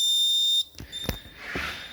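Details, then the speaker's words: Land Rover converted with Tesla motor and HV components, car booted with contactor closed: Tesla PCS DC-DC converter gives a steady shrill half-second birdlike beep, then cuts off, from a poor ground connection. "there's something weird going on with the PCS oh are you supposed to make that noise it's quite sweet actually a little birdie"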